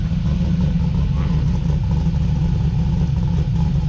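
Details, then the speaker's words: Customer car with previously modified V8 (heads, cam), freshly finished build: deep lumpy idle with uneven choppy beat; rough idle, car needs tuning. "go ahead and shut her off she definitely needs tuning guys you can tell by a little bit of an idol issue"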